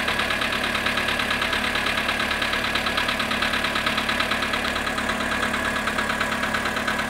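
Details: VW Polo sedan, cold start at -7.5 °C after sitting 12 hours. At cold idle a steady, even tick-knock repeats a bit over once a second; cold-start engine knock, cause unclear.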